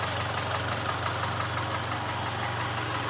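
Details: 2014 Mitsubishi Outlander GF0W with 2.0 4B11 petrol engine, 206,400 km, idling before teardown for full rebuild: steady low rumble with a dull, repeated knock.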